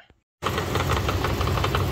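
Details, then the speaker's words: 1999 Dodge Durango SLT sat 14 years, two plug wires swapped and old oil; steady idle with a sharp tick-knock about ten a second, suspected near the flywheel; gone after correcting firing order: knocking at idle. "listen to that sounds like it's inside it I don't think it's the engine I get something inside uh inside here um by the flywheel I think I hope"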